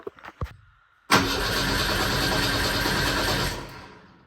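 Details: 1959 Mercedes body on swapped chassis, not run in almost 40 years, no fuel in tank yet: steady starter whir with quick chugging rhythm for about two and a half seconds, engine turning over but never catching.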